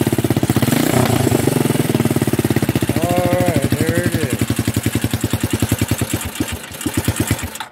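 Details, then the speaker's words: Buggy build, engine first run after hooking up fuel tank: quick even single-cylinder thumping at steady fast idle, no misses or knocks, then dies cleanly at shutoff; healthy runner. "so I just turned it off so we now know we have a runner"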